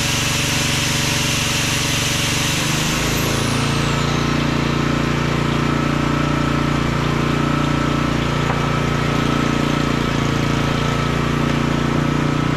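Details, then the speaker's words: Small auction-bought generator running with no load: a steady, even drone with no knocking or surging. There is a slight fuel weep from the bowl, and it was a bit stuttery at wide open with the choke fully off. Normal running. "well that ain't bad for H 20 bucks is it wow that sounds awesome"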